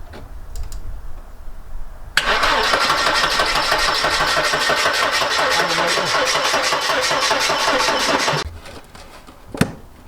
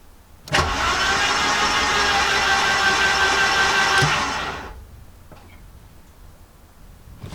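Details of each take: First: Mercedes-Benz 190E garden find, first start attempt: about six seconds of even cranking near four beats a second, no firing; no fuel up top as the fuel pump gets no voltage feed, fuses and relays next. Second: Garden-find Mercedes-Benz 190E turned over on the key with spark plugs removed after long storage: quick, even starter whirr for about four seconds, no compression pulses or scraping; oil pressure gauge rose while cranking; free cranking.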